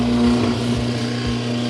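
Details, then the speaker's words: Whirlpool direct-drive washer in spin mode, drains but won't agitate or spin: steady motor hum with no drum or agitator churn underneath as the motor spins freely; broken motor coupling between motor and transmission. "so if your machine isn't spinning or agitating then you hear the motor running and if the drain pump if it will drain and the spin cycle it won't spin then you have a disconnection between your transmission and your motor it's usually going to be a motor coupler"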